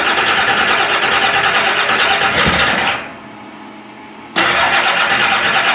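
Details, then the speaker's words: Freshly finished turbo Oldsmobile DX small-block V8 on E85 with -9 heat-range plugs, first fire-up in the car: loud, rough-running with busy mechanical clatter; owner attributes the rattle to loose piston clearances, 90 psi oil pressure. "Yeah, this thing sounds like a nitrous rig, dude. It's rowdy. I mean, still sounds, but like I was telling you, man, every piston in this thing's got 10,000 splits."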